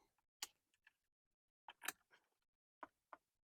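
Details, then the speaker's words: 1998 Corvette C5 under restoration, battery reconnected via its screw-in disconnect. Radio comes on and there are quiet, irregular light clicks from a module switching on. Owner suspects the headlight control module, linked to a known headlight issue and a small power drain. "Connection's made. I could hear the radio going. I could also hear this little guy clicking on, which if you watched my last video, we know we've got a headlight issue, as in I suspect it's the control module for the headlights is draining a little bit of power"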